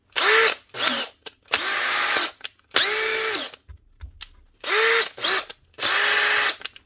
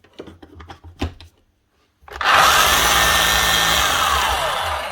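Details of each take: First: Makita DHP42 drill after a new armature and brushes, following a burnt-out motor: repeated trigger pulls each spin up to a clean steady whine and wind down, with no grinding or crackle. The motor runs normally. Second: Makita HR3540C corded rotary hammer running: harsh gritty whirr with a sliding tone; motor fine, rough bearings or gears; brush warning light flashing for worn brushes.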